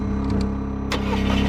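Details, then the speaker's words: 2016 VW Tiguan, push-button start, crank no start: the starter spins the engine fast and even with no compression rhythm; the camshaft isn't turning, indicating a major internal mechanical failure. "It's not spinning at all. You see that? This engine needs... Alright, you can stop. Alright, this engine has a mechanical problem."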